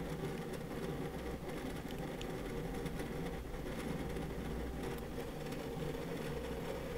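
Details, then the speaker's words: WD Red Pro 20TB NAS hard drive (9 platters) in a small plastic NAS enclosure under peak load test: rapid irregular chattering clicks over a steady low whir; ordinary seek noise for a large enterprise drive. "pretty noisy right basically if you do go for a larger capacity hard drive particularly enterprise drives like this that is the kind of noise we're talking about"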